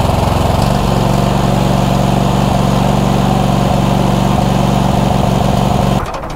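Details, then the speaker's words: Cub Cadet GT2 LX42 twin-cylinder engine running rough with a loud, uneven, lumpy beat of about three pulses a second. One cylinder is suspected of cutting out, not confirmed; a spark tester on each cylinder is planned. "one cylinder is it going down to one cylinder i think it might be cutting out on one cylinder just you know based on the weirdness of that i cannot imagine any other reason for what's going on there"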